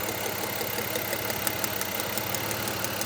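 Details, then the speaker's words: 2004 Mazda MPV with low power, idling as a good ignition coil is unplugged: uneven, stumbling idle with loose irregular beat about three per second, misfire from one dead cylinder. "this one showed a good waveform and I expect this one to have some pretty good spark now it's going to run real bow when I pull this you can hear it"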